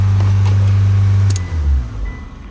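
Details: 2002 Mitsubishi Lancer with an intermittent no-crank issue: steady low starter drone for about a second before winding down, cranking normally when given direct power at the key circuit, so that circuit is good; the fault was later found to be the starter switch.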